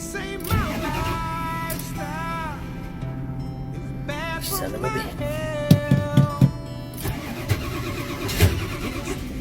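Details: Ford truck starter churning in repeated fast bursts, about four a second, engine never catches; cranks without starting.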